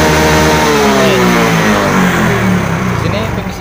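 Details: Yamaha Mio J (Fino) scooter after fix: MIL code 46 cleared, charging 13.7 V normal, fault traced to a dropped/flat battery; revs rise and ease back smoothly and evenly, no stumble or miss, running normally.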